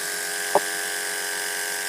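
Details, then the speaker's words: Pet grooming clipper running after blade tension check: even, steady high-pitched electric buzz with no rattle, chatter or labouring; motor running smoothly, good sound meaning no oil or tension issue. "sound of the motor is the key to knowing if you need oil or there's a tension issue you should always hear good sound listen to your Clippers they'll tell you when they need the blade needs oil or there's something going on it's not right"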